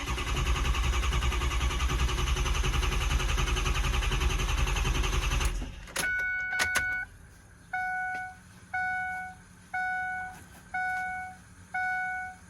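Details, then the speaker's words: 6.0 Powerstroke after fixing a high-pressure oil leak that caused hot no-start above about 140°F oil temperature: starts and restarts well, steady even roar for several seconds, then shuts off with a repeating chime; normal cranking and start. "It starts good and starts back up good,"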